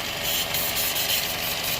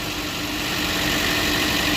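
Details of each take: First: 2015 Chevy Cruze 1.4 turbo, 68,000 miles, code P1101, engine jerking; strong constant high hiss over quiet idle from vacuum leak at failed PCV valve built into valve cover, fixed by replacing whole valve cover and gasket. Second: 2015 Chevy Cruze 1.4T, 68,000 miles, after replacing the valve cover/gasket with built-in PCV for a P1101 code and hissing: steady, even idle with no hiss or stumble; normal idle after repair.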